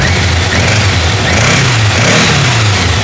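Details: 1986 Yamaha FZX700S Fazer four-cylinder after repairs, carbs balanced, idling a little over 1000 rpm: a steady hum lifts cleanly with the throttle and settles back evenly, no stumble or hesitation, with gear, clutch basket and timing chain noise audible; running right.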